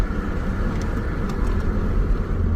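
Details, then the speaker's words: Toyota rolling and braking with only a steady low road rumble after securing a loose front engine panel that rattled under braking; warped front rotors still cause brake vibration, replacement recommended. "all right the the rattle noise went away but the vibration of on the rotor still there"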